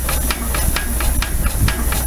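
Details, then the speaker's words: Frick portable power unit steam engine used for a threshing crew, running on compressed air: sharp even exhaust chuffs about four a second over a low rumble, smooth and steady; normal running. "this is our frick portable power unit and uh lonnie has got it running on air here this was used for the threshing crew and various jobs"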